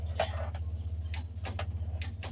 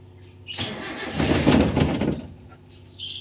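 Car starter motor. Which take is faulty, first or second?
first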